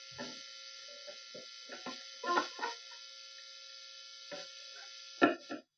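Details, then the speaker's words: Squier Series Mexican Fender Telecaster, mid-1990s: steady mains-type buzz under plucks and handling, louder on bridge than neck pickup; touching jack or control plate stops it while screws don't, indicating a grounding issue. "oh H there's a grounding issue somewhere right if I touch the Jack Plate buzzing stops"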